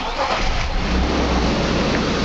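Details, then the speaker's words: 1997 BMW E39 528i (M52 engine) restarted after replacing both belt tensioner pulleys (SNR GA350.21) and refitting the fan: even rumble with none of the earlier start-up squeal, confirming a tensioner pulley was the cause. Normal start. "Et je suis contente parceque en fait j'ai plus du tout de petits couinements que j'avais au démarrage donc c'était bien l'un des deux galets. qui faisait un couinement."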